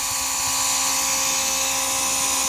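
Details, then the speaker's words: Early-style Mercedes 500SL R129 central door-lock pump on the bench after its defective motor was replaced: high, steady electric motor whine at even pitch, no rattle; pump activates and works. "you can see it activates it's still working just to show you that there is something going on"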